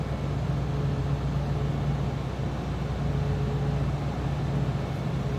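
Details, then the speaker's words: 1984 Cadillac Fleetwood Brougham with 33,785 miles, heard from the back seat at idle: low, steady hum with an even tone and no knocks or misses, no warning lights; smooth runner that sounds like a stock engine. "Slip around the back seat here, it run pretty much sounds like a stock 1984 Cadillac Fleetwood"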